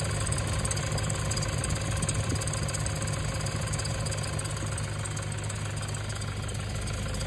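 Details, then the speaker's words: 2011 Toyota Hilux KUN26R, 3.0 1KD D4D diesel, manual, battery warning light always on: a thin steady high whine over an even diesel idle, from a suspected failing alternator before replacement. "the dash is on and there's a noise already on the alternator so I will try to start it so you can hear it"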